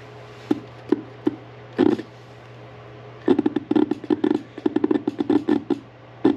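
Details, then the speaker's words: 1982 Fiat 124 Spider horn bench-tested on a 12.5 V power supply: irregular dry clicks and short rattling bursts, no horn tone; clicks internally but never sounds, fault inside the horn. "kind of hear it here clicking on the inside and my power supply is clicking and saying it doesn't like it not quite there so it is this horn on the inside"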